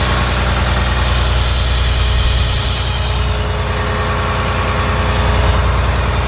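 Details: John Deere 850J dozer diesel, after second rebuild to fix a slight tick: even, low chug at steady idle with no knock, miss or rattle; good oil pressure, running clean.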